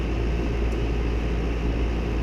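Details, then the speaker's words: Duquesne R-410A condensing unit that was not cooling after another company's work, after correcting the refrigerant charge (20° superheat, head pressure below 400, subcooling below 30): an even rush of fan air over a constant low hum with no rattles or surges. It is running normally. "System's just performing much better all around. So I'm happy with that."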